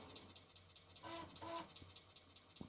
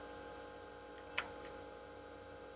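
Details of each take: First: Atari 1040 ST floppy drive reading an old diskette (PC emulator program): quiet scratchy seeking with irregular ticks and a brief buzz, sounding really bad; rough read, cause unclear. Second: Atari Megafile 30 hard disk on Atari 1040 ST, after DMA and read tests failed, park heads command from diagnostics: faint steady spindle hum, then one sharp click as the heads swing to park; mechanism responds.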